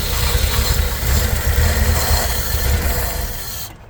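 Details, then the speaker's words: 1964 Chevy C10 on original drivetrain, first start in 30 years, bottle-fed fuel; low uneven chugging that dies after four seconds, running weak and rough. "sounds like it is weak as hell this thing runs like an absolu"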